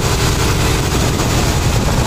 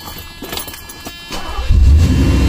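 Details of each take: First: 1986 Mercedes W126 420 SEL after high idle near 2000 rpm: once the idle control switch connection is made, idle drops to a low, steady rumble without hunting; fault traced to that switch. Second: 1986 Mercedes W126 420SEL; engine catches and settles into a fast, steady idle near 2000 rpm, dropping once the idle air control valve connection is made: high idle from poor IAC valve connection.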